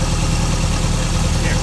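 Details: Toyota MR2 just after an oil change with Valvoline Restore & Protect 5W-30 and a new Toyota OEM filter: low, steady, even idle hum with no knocks or misses. Oil pressure came up quickly and no leaks were seen underneath.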